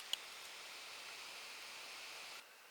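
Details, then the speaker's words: HP dv9000 laptop with the fan's white and yellow wires pulled from the connector to force full speed, just switched on: a steady, airy whoosh holds for over two seconds then drops away; the hack worked. "if it doesn't switch try to switch it off right away because you don't want to overheat your chip oh okay there we go it worked you can hear the fan"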